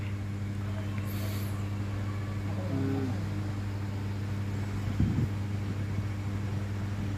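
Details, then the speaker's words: Ceiling fan wired directly to phase bypassing switch; steady low hum with no knocking, scraping or wobble, running smoothly at full speed, previously slow enough to see blades. "மொதல் ஓடும்போது பார்த்தீங்கன்னா அந்த leaf சுற்றுறது கூட தெரிஞ்சு இப்போ பாருங்கள் எந்த அளவுக்கு ஸ்பீட் இருக்குன்னு பாருங்கள்."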